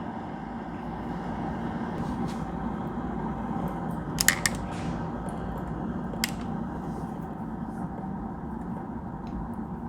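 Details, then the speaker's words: Keurig V600 coffee maker after reassembly for not dispensing water: soft steady hiss, faint low hum and a few small clicks while display shows not ready; heater warming the water normally. "And we hear it heating up now. And I'm not sure if you can see, it says not ready. So it's just waiting for the heater to warm"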